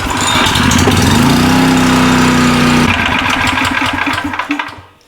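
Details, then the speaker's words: Old small petrol generator revived after sitting unused, earlier output about 260 volts, started again; catches and settles into steady even run with firm beat, nothing wrong with it. "Nothing wrong with it, boss."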